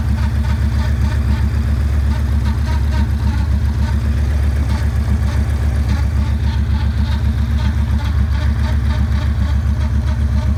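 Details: 2009 Yamaha Raider V-twin at idle: deep loping thump with an odd rhythmic clatter on top; owner doesn't know the cause of the abnormal noise.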